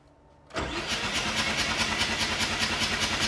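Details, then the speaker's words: Mazda 7 rotary engine that sat for years, cranked with plugs out to build oil pressure before compression test: steady even starter cranking, no catches or grinding; good oil pressure, normal cranking. "let's go ahead and crank it and see if the system will charge"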